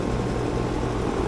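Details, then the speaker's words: Florida HVAC outdoor unit after repair with failed electrics bypassed, defrost board to be quoted, pressures good: steady even fan whoosh over low constant compressor hum, no knocks or rattles; normal running. "But at least we got it up and going. Everything looks good."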